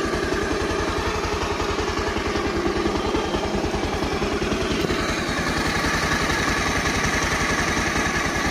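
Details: Bajaj Pulsar 150 single-cylinder engine idling after timing chain replacement: a steady, even thump with no rattle or ticking on top, now running perfectly smooth.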